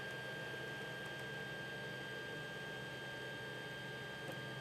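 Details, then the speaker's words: 3D printer after fitting stepper motor dampener on Y axis: soft steady hum, thin high tone and fan hiss, no harsh stepper buzz; about 24–30 dB, much quieter Y axis. "so you see on the wide that we've got certainly a much quieter y-axis"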